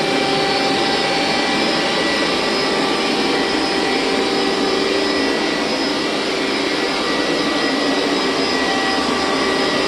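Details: Hoover SteamVac Widepath carpet extractor, about 20 years old, hot water pass; steady high-pitched suction whine with even hum, no surging or rattles; motor running healthy, owner thinks the bearings may eventually need attention.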